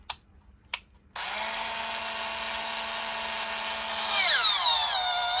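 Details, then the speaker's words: 30+ year old Makita 4.8 V cordless drill, 450 rpm, with brand-new replacement batteries: two trigger clicks, then a clean steady toy-like whine climbing in pitch as speed rises; motor runs fine. "It does sound like a toy. It sounds like that Tamiya drill, doesn't it?"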